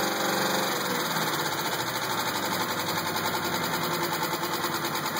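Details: 2000 GTP engine at warm idle: steady light knock with a thin whine above, staying consistent as RPM eases; owner doubts rod or flexplate, suspects possibly a spring; unconfirmed.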